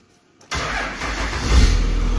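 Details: 12-valve diesel truck with a swapped 48RE, started just after a new crank sensor was installed and its wiring repaired. Brief crank, then it catches cleanly and settles into a steady, deep idle.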